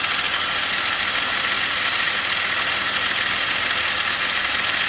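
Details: BMW E39 530i, 150,000 km, idling; steady hissy whirr on top with no clear knock rhythm; owner asks what the abnormal engine noise is, source not pinned down.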